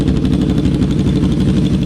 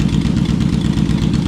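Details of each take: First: Yamaha V-Max V4 motorcycle at idle after a fix restored all four cylinders: deep, even lumpy idle with no missing beat, idle slightly higher; airflow was balanced earlier on three cylinders; normal idle. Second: Yamaha Vmax V4 motorcycle at idle running on only three cylinders, uneven lumpy stumbling exhaust beat; fuel delivery problem, dead cylinder's carburettor float bowl found with heavy sludge, blocked jet suspected.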